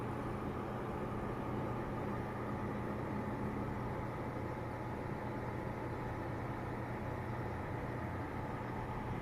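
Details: Corsair HX1000i power supply: low, steady electrical buzz with a faint higher tone, unchanged throughout; cause unknown.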